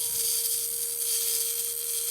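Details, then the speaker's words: Turnigy 959 V2 servo converted to a winch, plastic drum, run on 2S after gearbox reassembly with output-gear pin handled; clean steady mid-pitched whine without stutter or grinding, normal motor run. "And that sounds pretty good. At this point, this is now a winch."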